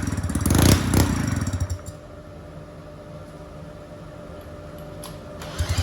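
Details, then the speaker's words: Two-stroke go-kart engine on premix, started with a drill on the flywheel: rough loud clatter as it catches, then steady, even buzzing idle, no misses or knocks; idles nicely, owner suspects carb causes hard restarting. "keep trying to start the engine and seems to run right and Chin carburetor seems to idle nicely"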